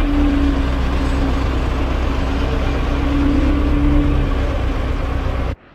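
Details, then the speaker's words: 12-ton six-wheel grader on a test run after a new drive chain was fitted and tensioned to about 1.5 inches of play: a steady low diesel drone with no clatter, snatch or chain slap; the chain stays on without binding and the drive runs normally. "Alright, that chain stayed on, no problems. Didn't feel it binding up or anything."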